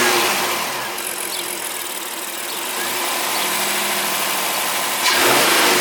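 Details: 2017 Honda Pilot Elite AWD on regular unleaded, about 80°F outside, after the cooling fan stopped: a smooth idle rises cleanly with a throttle blip and falls back evenly, with no knocks or whine. Healthy engine.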